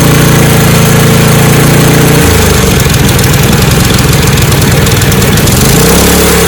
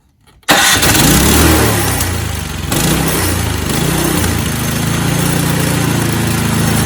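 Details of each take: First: Snowblower engine after carburetor repair, choke moved between positions. Steady idle drops to a lower, rougher beat, then climbs back, hunting high and low. Choke fully open floods it with too much fuel; fully closed nearly stalls; in-between setting wanted. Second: Snowblower that would not start, after fuel system and carburetor repair, choke in middle, no prime: catches on first pull, surges briefly, settles to steady even chug with no misses; normal start and idle.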